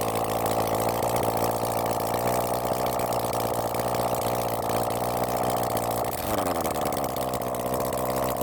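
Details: Honda CB400 Four engine on a bench run after reassembly and tappet setting, started after carb flooding with the choke closed: smooth, even idle whose revs dip briefly and recover cleanly, no misses or knocks; sounds good before carb balancing.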